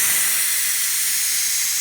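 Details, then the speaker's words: Ninja Foodi quick pressure release at end of 20-minute pressure cook of baby back ribs, gate fully open; steady loud high steam hiss, nothing low underneath; normal pressure release venting. "It takes a little bit, maybe about a minute or so for it to vent all the way out."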